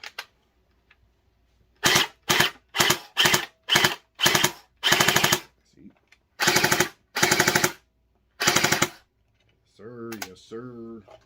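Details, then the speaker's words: Splatrball SB400 gel blaster fires bursts of rapid rattling that start and stop unevenly. Owner says it is a motor problem, not the battery, since a dead battery would give no sound at all. "see what I'm saying that's a motor problem not the battery because if it was a battery you wouldn't hear it at all just letting y'all know"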